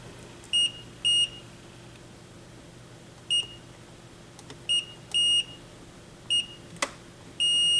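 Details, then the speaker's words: Technics SL-B202 turntable tonearm wires tested with a multimeter: short high-pitched beeps in quick bursts, then a held tone, confirming continuity including the left-channel ground; the RCA cable ground is suspected instead. "that's good and ground for Left Channel it's good as well"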